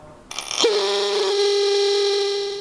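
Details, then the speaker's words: Ford Sierra Sapphire Cosworth brake system electric motor, run on the bench after stripping and cleaning: a loud, steady mid-pitched hum with a buzzy edge. A specialist found the motor shaft vibrating in a worn bush. "Can you hear that noise? Like it shouldn't be making that noise. That's because there was the shaft here was like, it was vibrating."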